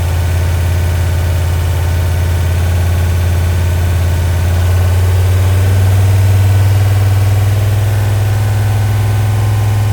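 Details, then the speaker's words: Freshly rebuilt 1990 Mopar 318 V8 (D150 truck) with new Rock Auto parts, mild Comp custom cam, Air-Gap intake, first run, at about 175° operating temperature, timing 15° at idle, 33° total: steady lope with even firing, no ticks, knocks or misses; normal idle. "It's 15 at idle. I got it on 33 total right now. baby cam. Smooth as butter."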